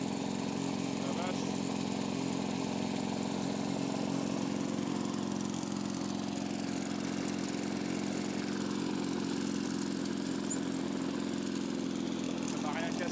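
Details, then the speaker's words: Lawnboy two-stroke mower running after repairing holes in the rusted exhaust pot and housing; steady, raspy buzz still loud and harsh, runs poorly, mixture hard to adjust; exhaust noise persists despite the patch. "la vache le bruit ça fait on va regarder ça tient ma réparation ah il pleut c'est chiant ça fait du bruit quand même"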